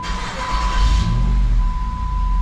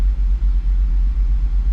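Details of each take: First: 2007 Jeep Grand Cherokee SRT-8 6.1L Hemi after taping over a hole in the throttle body: starts and drops straight into a steady normal idle, no hunting, under a thin whistle. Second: 2007 Jeep Grand Cherokee SRT-8 6.1L Hemi at idle, stock, drives poorly: a lumpy uneven idle with stumbling dips from a cylinder 1 misfire.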